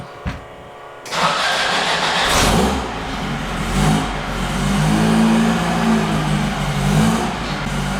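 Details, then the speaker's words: VW air-cooled engine from the Baja bug on a dyno, 39 mm carb with 132 main jet, first fire-up: short crank (pump gas once, set choke), fires quickly, revs then settles to a slightly uneven but willing idle; normal cold start. "Oh, these Seward Speed Shop engines sure do run good. They do. I tell you what, the damn thing starts every time."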